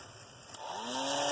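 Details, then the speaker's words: Improvised RC motor cooling fan made from a dollar-store hand fan with its blade cut down, wired to a switch and cut-down battery holder and mounted on wood: after a click, a thin buzzing whine climbs, then runs loud and steady. "noisy and it sounds like crap and it's really big and inconvenient"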